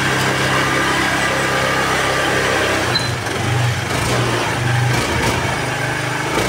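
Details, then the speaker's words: Honda Vario 110 carburetted scooter idling high and uneven, revs surging upward on their own without throttle after blipping instead of settling; unstable idle, heavy acceleration, stalls when the centre stand is lowered. "Dia enggak mati malah dia RPM-nya tinggi sendiri. Nah, ini tangan saya enggak ada yang ngegas itu ya."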